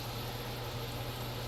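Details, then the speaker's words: Imarflex dual-burner induction cooker after DIY replacement of its 18V cooling fan: steady low hum, no rattle, scrape or whine while boiling; fan runs quiet and smooth, repair successful. "Wala nang ingay yung ano niya, yung fan, at kumukulo naman siya, no? So success ang ating replacement."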